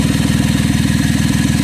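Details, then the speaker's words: Chevy Traverse on remote start, idling: loud rapid low puffing in time with idle, no knock, from an exhaust leak where the exhaust bracket weld broke away leaving a hole; to be repaired by welding. "came off. So once we weld it back, the sound is going to get better."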